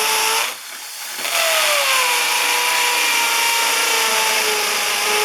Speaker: this is a hammer action on on this drill and and you should be able to hear it this one has a really fast